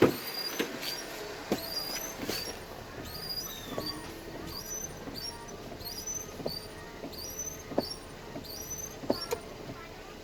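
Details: Perodua Viva Elite windscreen wipers chirping and squeaking sharply as they sweep, even with new blades, with soft thumps at each turn; shown before a low-cost DIY fix.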